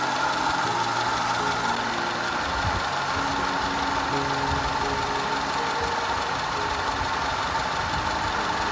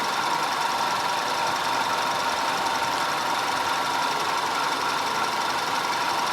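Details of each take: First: 2010 Audi A5 Cabriolet 2.0 TFSI petrol idling unevenly with irregular low thumps and stumbles: random misfire and constant cylinder 4 misfire, codes P0300, P0304, P130A, later fixed. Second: 2010 Audi A5 2.0 TFSI Cabriolet after fixing a random misfire and a constant cylinder 4 misfire (P0300, P0304, P130A): even, steady idle with a smooth hum and no stumbles; running cleanly on all cylinders.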